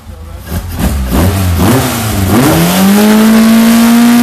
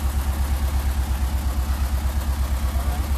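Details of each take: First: Ford SOHC 2.0 Pinto in a Sierra-based kit car with twin Weber 40 DCOE 151 carbs: clean rev to a steady, even high rpm with no stumble or misfire after balancing with an airflow meter to 5 kg/h per cylinder. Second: Ford SOHC 2.0 Pinto engine with twin Weber 40 DCOE 151 carburettors in a Sierra-based kit car, idling before balancing: uneven lumpy idle about three beats a second; carbs deliberately out of balance, to be synchronized with an airflow meter.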